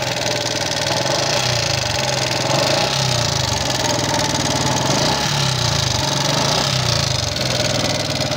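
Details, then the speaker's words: Yamaha Jupiter MX King fuel-injected motorcycle idling with loud, busy, harsh rapid clicking (kletek-kletek) on the firing beat, diagnosed before engine teardown; valve tick, possibly loose valve clearance or worn rocker arm. "Keluhannya adalah mesinnya mengeluarkan suara berisik kasar, klik-klik-klik, klak-klak-klak, kira-kira seperti itu, teman-teman."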